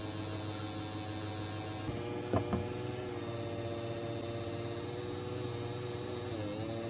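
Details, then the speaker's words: New Hornby S15 model locomotive, motor run alone drawing about 20 mA, slowing and speeding intermittently: thin motor hum whose pitch wavers and dips; motor not holding even speed, motor fault suspected. "what I can hear from that is the motor that's got the problem it's varying in speed"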